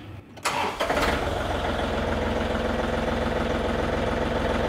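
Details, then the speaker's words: John Deere 3520 tier three diesel tractor after a throttle cable replacement: catches after a brief crank and settles to a steady, even low idle of about 800 rpm (book says 950) with no vibration. Normal diesel idle; high idle is 2800. "800 I like that uh the book said 950 for the idols where they wanted it but hey I'm fine with this it it doesn't vibrate"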